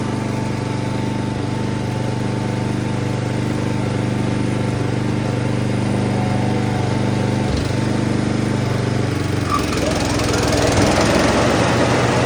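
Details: Toro Turfmaster mower after carburetor replacement, with blades engaged: even, steady drone dipping slightly as the blades take load, with no surging or sputter; it runs normally, and the carburetor was the fix.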